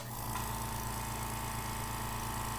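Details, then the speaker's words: Small quiet two-gallon air compressor, the newer replacement for an old Porter Cable pancake unit, runs normally with a steady low hum and even fast pulse, no knock or rattle, quiet enough to talk over, until the tank fills. "hopefully you can hear that i can actually talk over the sound of this one um it's not nearly as loud as the other one it's super efficient it has a smaller tank and this is only a two gallon tank"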